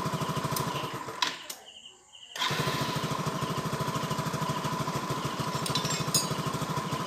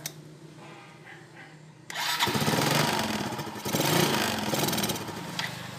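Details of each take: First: Yamaha Nouvo LC scooter after repair of stalling and hesitation. After a brief start-up dip it settles into a quick, even single-cylinder beat with no stumbling; starts and runs smoothly. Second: Yamaha Nouvo LC scooter that hesitates, stalls and sometimes won't start; spark plug and ignition already ruled out. It catches after a quiet start, then surges and dips unevenly. The cause is a long-used carburetor with fuel passages and jets clogged by dirt.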